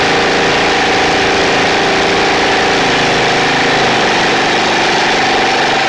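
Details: Snapper 28" riding mower, 12.5 hp Briggs & Stratton single-cylinder, hard-starting: running after coil grounded with a screwdriver at the kill ground wire location; steady, even speed with no misses or knocks, normal running.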